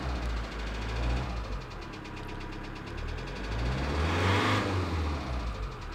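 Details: 2008 Kia Sedona 2.9 CRDi diesel (J3) at idle: steady sharp knock over the rumble; code P0016 crankshaft/camshaft position correlation returns after clearing, so timing is suspect, possibly a jumped chain.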